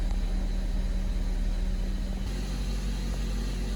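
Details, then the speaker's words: Honda CR-V with JDM B20B head swap, first start after cranking to build oil pressure: steady even low rumble at 1400 rpm fast idle, no ticking or knock, no more bubbles unlike the old tick-tacking head; normal idle. "hold an idle at 1400 no more bubbles no more ticking awesome crazy to go from this from what the other thing was tick-tacking away"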